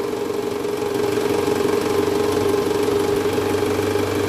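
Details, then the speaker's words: Toyota Alphard, 90,000 km, original parts, cold engine idling with R selected: rough, uneven knocking vibration from the engine area, diagnosed as a worn, loose balancer shaft. "s mesin dingin ini kalau dimasukin air sama dek itu ada bunyi abnormal bunyinya itu bunyi getarannya di area mesin tadi kita udah sempat analisa itu indikasi dari balancer shaft"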